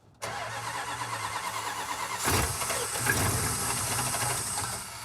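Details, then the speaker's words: Cold-started 400 cubic inch big-block Chrysler V8 with starting fluid: uneven, lumpy beat, "sounds like three and a half" cylinders, running rough until choked richer, lean cold mixture. "Runs great. Sounds like three and a half. It's all it needs."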